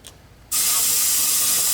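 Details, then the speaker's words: 1971 Porsche 911 found abandoned: a sudden loud steady hiss as air pours straight out through a gaping roughly 3-inch hole in the top of the tire. "That sounds like it's just coming right out the other side of the rim."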